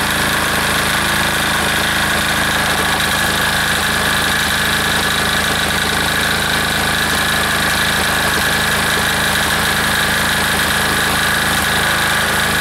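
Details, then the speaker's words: Air-cooled diesel engine just reassembled, throttled down to idle after earlier fuel starvation, with steady even clatter and no misses or surging as it settles; owner says it sounds pretty good, normal idle. "all right let's see uh she'll idle down a little bit for us here sounds pretty good right there"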